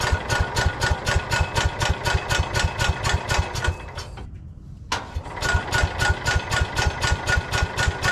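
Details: Old Cub Cadet garden tractor, 10 hp Kohler engine, after carb clean and fresh fuel, dead battery on portable jumper: regular cranking about four compressions a second, brief stop, more cranking, never catches; won't start yet.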